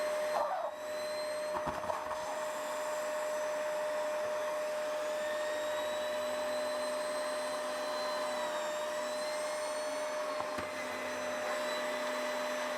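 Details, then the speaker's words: Dyson DC05 turbine floor head after teardown and clean, reassembled with metal bearing: steady even turbine whine, no scraping or flutter; working a beauty. Normal turbine head running. "Working a beauty. Sorted."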